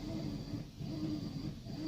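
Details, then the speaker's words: 3-year-old Whirlpool Cabrio high-efficiency washer, full load of mostly jeans and towels, normal warm cycle, lid locked; low quiet churning swells and fades about twice a second, no knocking or grinding; normal agitation. "nice and quiet it's one of the really cool things about these high efficiency washers so they're nice and quiet and they get your clothes really clean"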